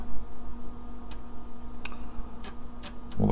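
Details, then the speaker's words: IBM-compatible 386 computer booting MS-DOS from a 5.25-inch 360K floppy: sharp, irregular head-stepping ticks about twice a second over a faint steady hum; normal floppy drive seeking. "pretty cool yeah that's definitely ms-dos starting very familiar sound do we who used ms-dos"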